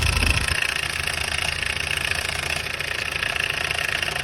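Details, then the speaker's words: Hyundai Starex D4CB diesel, smoky and noisy: idle with a busy metallic clatter over the engine note, from a timing chain gone slack because its upper and lower guides broke. "Kaya po pag umandar ito maingay ang kanyang andar."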